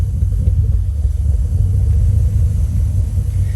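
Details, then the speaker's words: Toyota 3UZ V8 swapped into Nissan 240SX, first start, no intake yet, idle set low: uneven lumpy idle with recurring low thump, as if running on fewer cylinders; cause suspected, not confirmed: rough idle with thump. "has a little bit of a thump to it so we'll have to double check and see if it was this"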